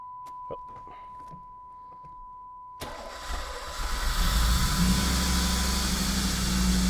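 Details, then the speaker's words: Low-mile third-gen Camaro V8 after injectors were cleaned for a persistent misfire, drive belt back on, plenum off, checking fuel pressure and leaks: short crank, catches with a bark, settles to a steady even idle with audible injectors; no vacuum or fuel leaks. "fired up and it idled down so I don't think we have any vacuum leaks no fuel leaks there"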